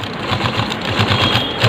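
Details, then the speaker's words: Sewing machine stitching double-layer normal cloth before the repair; quick, even mechanical patter at steady pace, no knocking or catching. Stitching is fine on single/double layers, but the thread breaks on thick cloth. "और ये देखिए ये machine चल रही है, सही है। यहाँ देखिए ये हमने यहाँ से यहाँ तक चलाया और ये सिलाई भी इसका बिल्कुल सही है, सुंदर है।"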